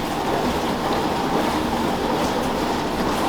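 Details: Beko dishwasher that had tripped the RCD, after repair (owner suspected pump or heater): steady rushing water spray with low churning underneath, even level, no buzzing or grinding; washing normally apart from one P2 no-water error.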